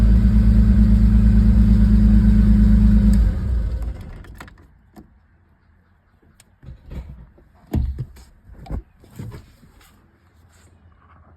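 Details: 1988 vehicle after no-crank no-start fix with new relay and new starter: steady, even engine note for a few seconds with no misfire or knock, then shut off; runs normally.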